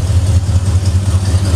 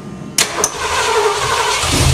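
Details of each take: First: Ford Bronco V8, already warm: choke set unnecessarily by two throttle pumps, steady even low rumble at slightly raised idle, running decently; fast idle with choke on. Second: Ford Bronco V8 with mismatched carburetor (possibly from a 351 or 302, jets uncertain): cranks a couple seconds with empty float bowl, then catches and settles into a deep steady idle; engine cranking and starting.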